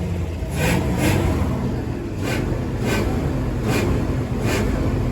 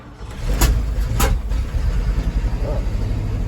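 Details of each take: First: 1975 Ford F250 with the formerly locked-up FE 390 V8, driving: deep, even V8 rumble pulling smoothly with no misses, knocks or rattles after a brief cough on a hill; carburetor still needs adjusting, but it runs healthy. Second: 1975 Ford F250 390 FE V8, formerly locked up, new cap and rotor, carburetor needing adjustment; two sharp pops as it catches on cold start, then settles into a steady rumbling idle; backfire on start, cause unclear.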